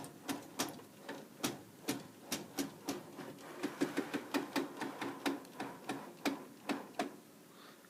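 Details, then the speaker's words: DTG printer, lower belt area: sharp evenly spaced clicks about two to three a second; wheels checked and chrome rails cleaned without finding the cause. Repetitive clicking, cause unknown. "you hear that is all I quote from this the bottom bell here and it's just sound like it's just clicking"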